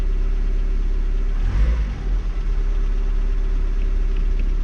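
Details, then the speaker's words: Opel Corsa B 1.4 X14SZ petrol idling after Multec single-point injection restoration; steady low rumble with one brief wobble as fuel refills the emptied lines, then smooth; no engine warning light; normal idle. "Et là ça me paraît pas mal et surtout déjà j'ai pas de voyant moteur. Nous on avait un voyant moteur."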